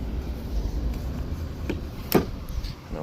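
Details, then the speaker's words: Sea-Doo Speedster after reverse bucket repair with homemade spacers and hardware: one sharp hollow clunk over low outdoor rumble as the reverse bucket is pushed fully forward and taps the hull; rubber stoppers planned. "you can hear that clunk, but that clunk is the bucket tapping the hull."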